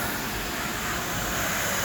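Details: Tornos CNC lathe making titanium knife screws on a 75-second cycle, filmed inside the machine. A steady, even hiss and whir of cutting and coolant spray with no knocks or chatter; running smoothly in production.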